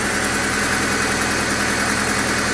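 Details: 2001 Honda Civic LX sedan idling right after replacing the condenser motor, alternator, coil packs and cam cover cap: steady, quiet, even hum with no shake, miss or knock, no engine lights; the earlier death-rattle noise is gone.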